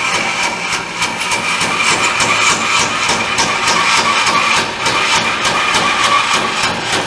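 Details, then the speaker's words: Band saw cutting a profile for a new oak rocker arm: steady whir with a light regular thump about three times a second, caused by a small, barely-feelable imperfection in the blade that was flattened out. "thumping sound here is I've got a I can't displayed at one time I've flattened it out I can't I can see it and I can just barely feel it but even that small imperfection is calling causing that sound"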